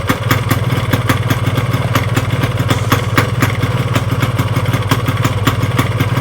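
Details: Yamaha RX King two-stroke motorcycle at low idle: fast, uneven knocking clatter with vibration, caused by a worn, loose crankshaft plus a worn connecting rod and piston.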